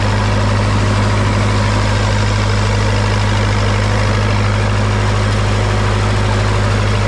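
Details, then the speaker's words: Old SA-200 welder engine after stuck valves repaired, warm after a few minutes running, moisture burning off, no leaks; deep steady even idle thrum, no misses or knocks, holds speed smoothly; healthy. "well it's been running for a few minutes now everything's pretty warm got all the uh extra moisture going out of it and I'm not seeing any leaks so I'm going to call that a uh success for now"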